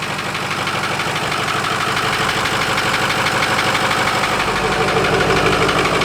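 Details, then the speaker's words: 2005 Ford F250 6.0 Powerstroke diesel idling with a fast regular tick, about three per second, riding over the idle; recorded close to the engine, cause not yet determined, truck going to shop for engine work. "now you hear all that about ticking let's get closer to really hear it down here"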